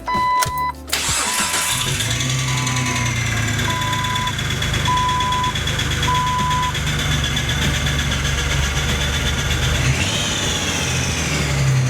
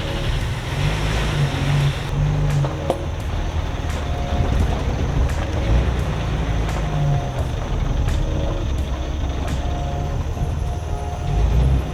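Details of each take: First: 2003 Jeep Wrangler TJ just after a transmission replacement, first start: rough idle with a busy, loud tapping clatter; owner suspects a bad throwout bearing that was not replaced, unconfirmed. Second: 2003 Jeep Wrangler TJ test drive after transmission replacement: steady low driving rumble through the gears with no whine, grind or clunk, earlier noises gone; drivetrain running quietly.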